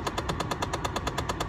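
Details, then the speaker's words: 2005–2013 Chevy Impala: sharp even clicking about eight times a second from the dash, no engine running, continuing even with keys out and able to drain the battery; failing HVAC blend door actuator. "okay if you have a 2005-2013 Chevy Impala you have probably heard this noise before what it is in this case is one of the actuators that goes to their units"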